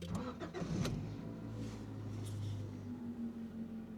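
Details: 1991 Honda Accord EX-R being rebuilt, belts just worked on to cure a squeal: short crank, engine catches and settles into a smooth idle with no squeal on startup; accessory belts properly tensioned, normal start.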